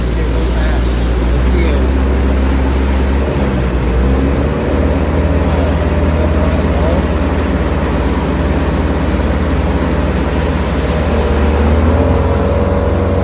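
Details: 1995 Larson 174 with 3.0 MerCruiser Alpha One Gen 2, run after sitting 3 years: strong, steady even drone under way with no knocks, misses or surging over water noise; normal running.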